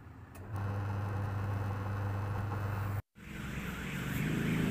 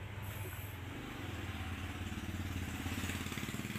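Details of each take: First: Polytron washing machine tested after a repair at the pulsator, which had been very noisy and would not turn when held: now a steady even motor hum with no scraping, running normally. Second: Polytron washing machine, motor runs but the pulsator stops when held: low steady motor hum under an uneven rattle with no firm drive, noisy and won't wash; pulsator teeth found broken/stripped.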